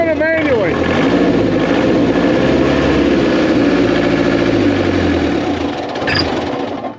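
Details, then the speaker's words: 2002 JLG 86T lift diesel, after actuator replacement: starts and races loud at a steady high speed instead of dropping to idle; speed sensor suspected, unconfirmed. Engine over-revving. "it's still want to take off like a crazy machine the only other thing that could be messed up in that erand is the speed sensor"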